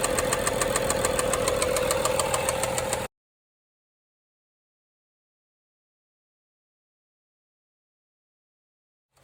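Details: BMW 535xi with N55 engine stalls in stop-and-go traffic: sharp, even bottom-end knock about 3.5 per second over idle before the engine cuts out. It restarts but keeps shutting off, and the knock grows louder. Later valve-cover inspection finds the chains tight and the camshaft, springs and rollers intact.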